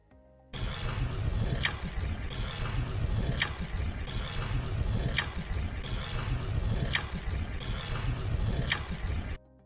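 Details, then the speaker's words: VanMoof S3 e-bike while pedaling: a sharp metallic clank repeats about every two seconds over steady riding noise during gear changes; the electronic shifter clanks, which the owner says works well mostly. "Now, the electronic shifter works well most of the time, but it's not without issues. And if you just pay attention to this video right here, you'll notice that there's a little clank."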